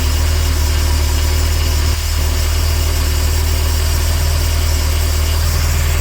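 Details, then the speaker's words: 2011 Bayliner 185 boat with 3.0 MerCruiser engine idling while warming up: deep, even low rumble with no misses, taps or rattles; it reaches temperature in about 3 minutes and sounds healthy. "Gotta get up the temperature here. Okay, it looks like we're almost up the temperature."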